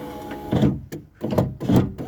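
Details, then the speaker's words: Power window with the door card off: the motor drones in uneven spurts, its pitch sagging and nearly stalling as the glass labours. The window regulator likely needs replacing. "see what I mean it's actually that's really struggling that is for a moment I thought that this was going to be a reasonable um job but um it looks like I may have to just replace the window regulator"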